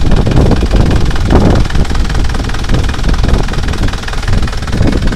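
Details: Isuzu Panther LV Turbo 2008 diesel, started without pressing the throttle: loud, deep idle with steady low clatter, no uneven knocks or misses, some oil spatter noted on the engine; normal idle.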